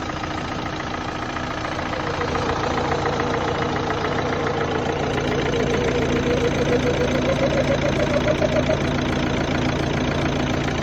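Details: 2011 Opel Astra 1.7 CDTI diesel at idle: steady clatter of about three to four ticks a second with a faint tone rising above it, a strange background noise present warm or cold, also on gear changes; part unknown.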